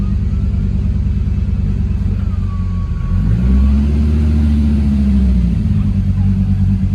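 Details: 1.8T-swapped Toyota MR2 on a base map, pulling away: smooth even engine note swelling and settling, no knocks or misfires; normal running.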